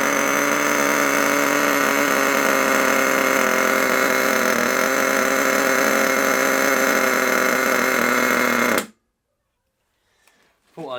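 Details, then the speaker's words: HotBodies 3.5 nitro engine newly fitted in an HPI Savage 21 RC truck, just started: fast, even, high-pitched buzz that holds then cuts off; idle set too high and noisy, owner lowers it via the idle screw. "I want to try and lower that down a bit cuz it's a bit noisy otherwise"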